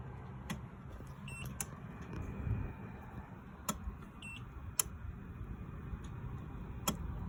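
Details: Oukitel device making sharp relay-like clicks every second or two with short high double beeps between them over a low hum; a repeating clicking and beeping fault cycle.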